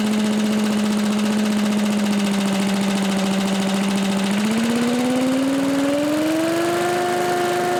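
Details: Old Lindell Litter Gitter yard vacuum's small engine, after new carb gasket: steady, even drone that smoothly climbs in speed halfway through, no misses or stumbles; running clean and moving lots of air.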